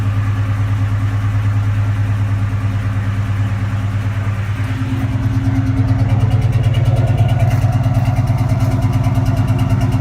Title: Cobra rough idle